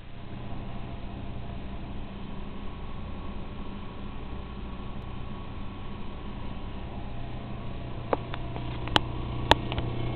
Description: This noise is an intermittent problem